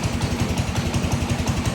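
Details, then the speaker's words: Snowblower started after sitting for years: rough, uneven low thumping at about six beats a second, loping and unsteady like a cold engine close to stalling; the owner is unsure whether it sounds as it should. "It sounds like it's got like a little mist or something to it, but then again, that may be the way it's supposed to sound, right? Right. Alright. Uh-oh, it's gonna stall."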